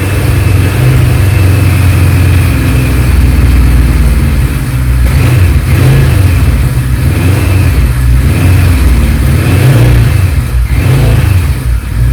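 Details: 1976 Kawasaki Z900 (Z1) inline-four, fuel stabiliser added, run to empty the carburettors before winter storage after sitting unridden a while. Smooth, even steady low drone with no knocks or misses.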